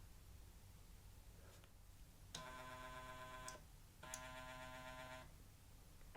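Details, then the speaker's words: Elite Direto smart trainers powering up side by side, two short buzzy whirring bursts from the stepper motors moving resistance magnets, one unit louder; normal at power-up or resistance change, silent at constant resistance. "so when you hear this noise it's when the units are turned on for the first time or when they change resistance"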